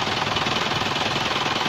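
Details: First-generation Isuzu Panther Kapsul diesel idling with the oil filler pulled open to check for blow-by. Even clatter with no misses, hiss, chuffing, oil or smoke coming out. A sound engine with no blow-by.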